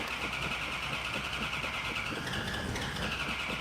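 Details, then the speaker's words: Car with an Air Grabber: starter grinds on at a steady fast beat with no catch or firing while cranking to bring fuel up to the dry carburetors; extended cranking. "but I I'm gonna have to uh I'm gonna have to crank it to bring the fuel up well give it time give it time"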